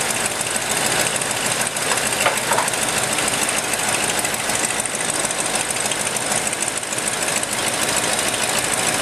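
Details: Ford F-100 V8 first start in five years after rebuilt carburetor, doubled carburetor/EGR plate gasket and new spark plugs; loud raspy idle with sharp puffing ticks, runs pretty good but needs adjustment, small exhaust leak.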